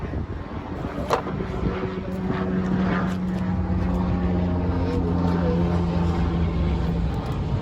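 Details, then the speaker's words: 2006–2010 Hyundai Azera 3.3L after starter motor replacement: short crank, then the engine catches and holds a smooth steady hum with no grinding or clicking; new starter engages cleanly. "You hear that car started? Beautiful. Everything is done."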